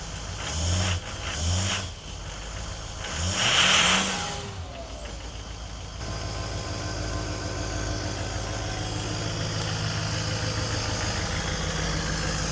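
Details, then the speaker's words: 2010 Duramax diesel truck that sat 5 years: starter cranks, engine fires and settles into steady, slightly raised clatter with no misses; runs good, entering a warm-up cycle high idle. "So how about that? It looks ugly, but she sure runs good. It's going into a little warm-up cycle, it sounds like."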